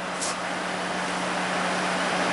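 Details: 2004 Toyota Highlander, 120,000 miles, ignition off: a steady low hum and airy whoosh from the cooling fan with no engine running. The fan stays on after shutdown and drains the battery; a bizarre wiring fault was traced with a test light.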